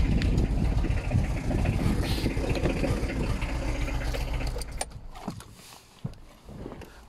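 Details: ZX project car, a diesel, starting with loud, uneven, lumpy clatter and cutting out after about five seconds. It smokes heavily, is badly underpowered and barely moves under its own power; rough running, cause not identified.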